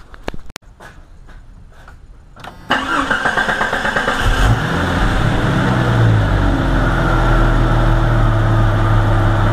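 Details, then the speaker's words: Jeep Cherokee XJ 4.0 after a free throttle body adjustment to cure high, erratic idle (earlier about 1100 rpm): cranks, catches, briefly surges, then settles into a steady, even idle. Normal idle. "how beautiful it is okay nice and civilized hidden Idol was shaken up nice and stabilized just by adjusting myths"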